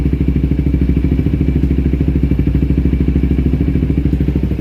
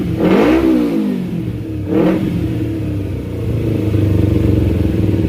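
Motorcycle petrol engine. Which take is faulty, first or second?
first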